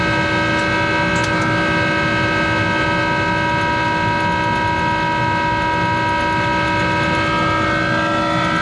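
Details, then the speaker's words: Monarch 10EE precision lathe 3-phase motor-driven generator DC spindle drive (vacuum-tube rectified) running: loud steady whine with several strong tones over a rough hum; motor-generator bearings worn, due for replacement. "so what I'm gonna do is I'm going to well start the machine up and it's louder in hell because it's got those bearings that need to be replaced in that motor generator so bear with the noise"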